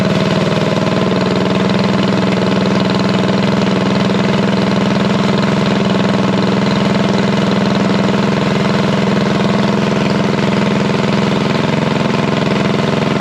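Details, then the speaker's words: Revived unknown-history single-cylinder go-kart engine held at a fast idle around 2200 rpm for break-in: a steady, even putter with no knocks or surging. It is running healthy. "i got it cranked up about 20 200 rpm somewhere along in there i'm going to give it about a good 20 25 minutes and uh yeah sounds good"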